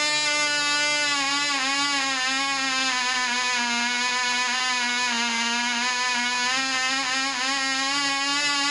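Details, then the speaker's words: Black Widow mouse-racer glow engine, high-compression head, 5x3 prop, 24% nitromethane, later run after loose screws likely foaming fuel were fixed: high, steady buzzing note, slight pitch waver, about twice as loud, prop wind audible; running properly. "that cigs about twice as loud and I swear I can hear the wind off the prop so it runs better"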